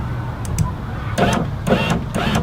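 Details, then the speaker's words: 2004 Mustang driver's-side power window clicking when rolled fully up or down: uneven bursts of rapid clicking and ratcheting from the door at end of travel, a terrible noise; regulator and motor suspected, cause not confirmed. "that's the reason I'm taking it apart, because of that noise. Terrible noise."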